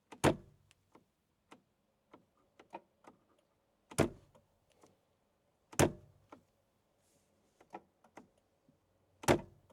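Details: Mercedes W205 C63 with an electric steering column stuck: holding the down button while striking the top of the wheel with the palm gives heavy thumps every couple of seconds with faint clicks between; the motor gets power but the column is jammed.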